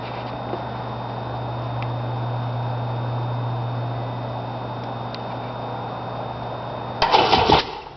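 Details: Sea-Doo GTX DI personal watercraft cranks but won't start: a steady starter whir runs about seven seconds and the engine never catches, with only a short burst at the end.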